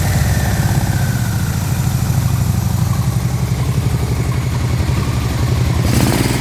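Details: Barn-find Yamaha Vmax V4, first start in years after fuel-system and wiring repairs, running without an airbox: a deep, even thump at steady idle, then a brief blip. It runs cleanly with no misfire.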